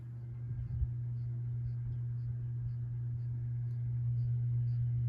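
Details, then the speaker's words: 1987 View Fan Spinner V36R 36-inch ceiling fan, a cheap model known for poor bearings and cyclic flux noise, on low speed from the outlet. Low, steady electrical hum, no bearing grinding or rumble, no cyclic flux noise. "It's pretty hummy. But there are no cyclic flux issues, and no bearing noise to be heard."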